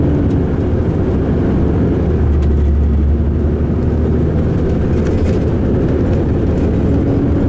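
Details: 2005 MCI D4500 coach on Sound Transit route 594 to Seattle: deep, heavy diesel drone with a lumpy, uneven rumble under road noise; rough running and idling.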